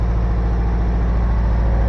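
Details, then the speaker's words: 1985 Toyota MR2, heard from outside at idle, no smoke from exhaust: uneven lumpy stumbling idle, one cylinder not firing (dead-cylinder misfire); spark plugs checked next. "hear it from the outside here too it's not running too smoothly so there you go"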